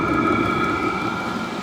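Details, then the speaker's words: Cheap eBay diesel heater running on the bench at full output, room about 11 degrees at start: loud steady roar with fixed whistling tones, no pulsing or misfire, burning cleanly and throwing out lots of heat, though very loud. "but yeah you can hear it now can't you it's uh it's really roaring along"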